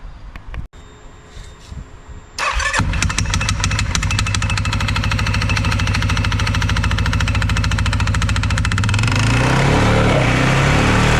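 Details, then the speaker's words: 2021 CFMOTO 520S quad that was stuck in drive; belt drive reassembled but not yet tensioned. Engine starts to a fast idle with a loud rattling clatter that rises with revs. The worn centrifugal clutch is very noisy and will be replaced. "There's a lot more gap in that belt now, and it is engaging when you rev it up. It's very noisy, that clutch though. We'll definitely have to get a new one."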